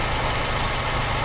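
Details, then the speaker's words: Honda Civic EP1: steady, even low idle hum around 800 rpm with no misses or knocks; idling normally. "it looks like it's around 800 because minimum has to be 800 rpms right 800 to 1000 no it has to be anywhere between 500 800 rpms 500 800 okay she sounds good"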